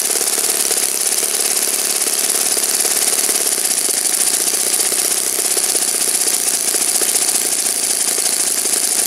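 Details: Saito FA-56 four-stroke glow engine, moderate-time, first run after teardown, cleaning and bearing replacement, tuning and static thrust run with 12x6 prop, OS F plug, Omega 5% fuel: fast, even buzzing beat at steady speed, no misses or rattles; normal healthy run.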